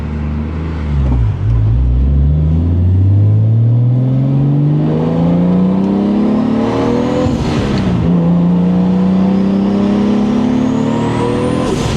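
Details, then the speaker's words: 1989 Toyota Supra, stock-block 2JZ-GTE with HKS 264 cam, BorgWarner S362 turbo, T56 transmission, EMU Black; boost level 1 pull hitting about 13 psi, possibly lifting early (could reach 15): engine note climbs smoothly through two long pulls, no misses or rattles, a healthy turbo pull. "That's level 1 right off the bat, and I hit about 13 pounds, and I think I let off. I think it could go up to 15."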